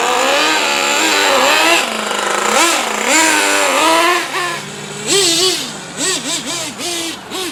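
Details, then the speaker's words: Traxxas T-Maxx 3.3 nitro engine, first run after 8+ years stored, on 20% nitro fuel it was tuned for, very cold rainy weather: shrill engine revs up and down cleanly in quick bursts, holding steady; runs nearly perfect. "they start it up and it runs damn near perfect"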